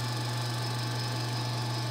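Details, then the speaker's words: Alternator on a homemade test bench charging at 14.4 V with two 100 W lamps on, then ventilation added; current rises while voltage holds. Constant low hum, no whine, grinding or flutter; normal operation under load. "ele (alternador) mantém a tensão manteve a tensão ... agora vou ligar a ventilação viu como ele baixa a corrente puxa bem mais aumentou a corrente ali também ele (alternador) consegue segurar, manter"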